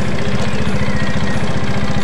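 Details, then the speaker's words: Yamaha Mio automatic scooter running rough and noisy from a clogged oil filter starving the head: fast idle with a harsh, coarse edge, only slightly smoother after service; the piston is scored and needs a head and block teardown. "Kalau mau halus ee seperti standar atau normalnya Kita harus melakukan pembongkaran di bagian Silinder Kop sama blok ya guys ya karena wajib ini untuk pistonnya sudah mengalami lecet atau baret ya guys ya"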